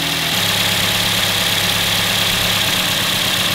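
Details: Engine idling during a power balance test with one coil-over-plug unplugged: the idle drops lower and turns uneven and lumpy, confirming that coil was good and firing before.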